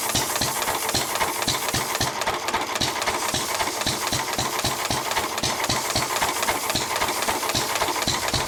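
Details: 1923 3.5 hp Emu (rebadged Hercules) engine, idle 20+ years, after oiling the sticking magneto and exhaust-valve mechanism: crisp, regular chuffs about four a second with steady hiss between, no stumbling; it runs pretty well.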